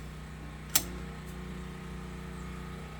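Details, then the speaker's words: Generator feeding the home panel through an interlock and inlet box, not an inverter type: a quiet steady hum sags slightly and settles after a click as the garage lights (6 LED) switch on. A healthy generator taking load. "There's the garage lights. You can hear the generator just load up a little bit."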